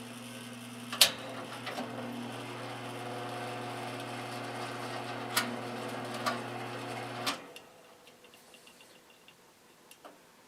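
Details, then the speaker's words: 1950s GE box fan motor, oiled, run on low without blade: steady even mains hum, smooth whirr, a couple of light clicks, then a long quiet spin down. Healthy normal motor run. "sounds pretty good actually has a nice long spin down"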